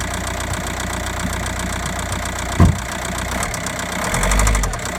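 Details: 2009 Audi A3 8P 1.9 TDIe 105 hp (BLS engine) at idle: diesel clatter with a fast, steady ticking knock and one sharp thump; source not pinned down, cause unconfirmed.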